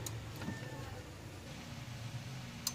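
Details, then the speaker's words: 4D56 diesel with a cranking no-start: with the ignition on, the fuel cut solenoid connector is connected and disconnected, giving a few sharp, isolated clicks. This shows the fuel solenoid is actuating normally. "so when you connect this you should hear a clicking sound and if you don't that means your fuel solenoid is no longer working"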